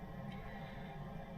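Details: Auto Trail Expedition 67 Flex campervan gas heater burner; soft, even whooshing rush of flame and airflow with no popping or clicking, running normally.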